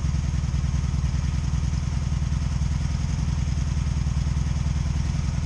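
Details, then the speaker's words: 2002 Honda Magna VF750C during rebuild, plugs gapped to spec, one rear plug dry: low lumpy stumbling idle instead of smooth pulse, popcorn popping on one side; one cylinder cold and not firing. "you hear it missing hear it a little popcorn popping popping on that side"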